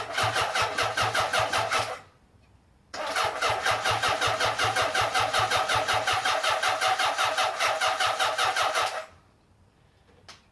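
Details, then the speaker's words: Honda CB750 four-cylinder restoration, first start dry on choke via starter; choppy, lumpy beat on throttle blips, stumbling and cutting out; running a bit rich with oil haze from oiling the cylinders; misfire, one cylinder dead. "Give it a bit of a squirt, eh? Bit choppy, but we've got a running engine, so that's overall pretty good."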